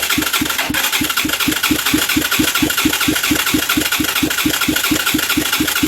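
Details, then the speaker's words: Huaniao HN125 Chinese motorcycle, 125cc, long-dead: starter cranks steadily about two strokes a second with no catch; crank no start before starting fluid was sprayed into carb and cylinder. "why won't you play come on play come on play what am i missing"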